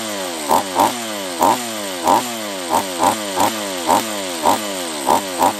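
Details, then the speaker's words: Refurbished Husqvarna 44 chainsaw after reassembly: it surges and bogs in a choppy rhythm, about one and a half bursts a second, and won't take any throttle. Owner suspects a lower-end vacuum leak and shuts it down to strip it. "it's it's not running right uh if it's this to me is a lower end uh vacuum leak try one more time yeah it does not like any throttle"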